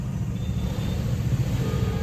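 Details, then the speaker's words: Tata Nano with some leakage, revved with clutch released: engine drones at raised revs with a rough, labouring note while the car barely pulls; clutch plate slipping. "इसके लिए यहाँ से ना थोड़ा सा leakage भी हो रहा है इसमें से जगह ऐसी आवाज़। और आगे गाड़ी नहीं खींच रही बिल्कुल भी।"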